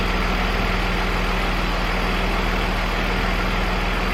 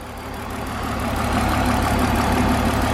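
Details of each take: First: BMW E46 323ci, after diagnosing no-start and misfire, number one coil or spark plug suspected, revved in the car: even, steady idle with a regular low pulse and no stumbles or skips; no misfire. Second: BMW E46 323ci, driven and then at idle with the hood open: an uneven, lumpy idle with about four stumbles a second, a misfire. Owner plans new spark plugs to see if they clear it. A coolant hiss was noticed after shutdown.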